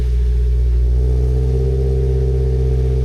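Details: 2014 Mazda Miata NC started after a new sensor bung was installed, to check for leaks: a smooth, even idle with a steady low drone and no ticking or puffing that would point to an exhaust leak; the engine sounds healthy.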